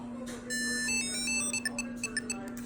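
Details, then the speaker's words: Two Tile trackers, one purchased and one sent as a replacement, both repeating a heartbeat sound right out of the package: a short chime, then high paired chirps about twice a second. Neither will activate; cause unknown. "heartbeat both doing the exact same thing right out of the package and I can't get them to work"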